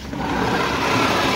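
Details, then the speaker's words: E-rickshaw with both rear wheels lifted at full throttle: steady loud, rough whirring equally from both sides, so the wheels are ruled out. The suspected cause is a worn motor bearing, a motor fault or the crown gear. "अगर इधर से भी वही आवाज आती तो इसका मतलब या तो मोटर हमारे मोटर की बरिंग कट गई है या बरिंग या मोटर में हमारा कोई फॉल्ड है या फिर हमारे क्राउन में"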